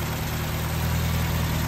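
Steady low, even idle with a smooth pulse and no knocks, misses or hunting; the engine sounds healthy.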